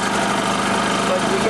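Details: Old long-sitting generator, carburetor float and needle serviced, started after battery charging and choking: steady, even engine drone with constant pitch, no misses or surging; running cleanly after repair.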